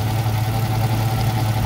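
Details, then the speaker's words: 1977 Camaro Z28 first start, near 200 degrees with thermostat not opening: steady idle with coarse low droning groan; power steering pump pumped out its fluid and ran dry, refilled but noisy, possibly ruined. "all right so we were hearing a little bit of a crunchy noise coming from down here and we checked the power steering fluid and it had pumped all the fluid out so it was running dry and we filled it up but it's making some awful noises now so we may have killed it"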